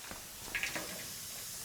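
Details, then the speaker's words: Volvo L60E wheel loader, engine running: steady high-pitched hiss with short louder spurts from pressurised air escaping underneath; one of two air leaks, audible only while running. "So I got 2 air leaks in this. Something is coming from under here, but you can only hear that air leak when this thing is running."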